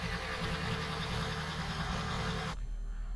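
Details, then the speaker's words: Kia Picanto first gen after replacing a cracked, old spark plug wire; low, even idle with a steady beat and no misfire, stumble or vibration; engine runs smoothly. "so there are no misfire um no vibration or anything everything looks good and it's working"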